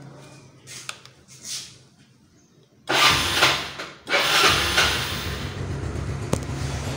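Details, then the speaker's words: Restored yellow 2006 Yamaha Mio scooter started after restoration; small engine catches after a quiet pause, revs with a buzzy even note, then settles to a steady healthy idle. "sekarang gua coba hidupin ya untuk motornya Bagaimana kan suaranya selanjutnya"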